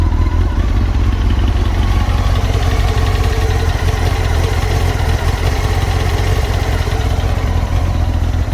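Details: Honda CBR 954 (SC50) AluSil-bore sport bike at idle: hollow rapid tapping clatter on every firing stroke, piston slap from a worn, scored cylinder.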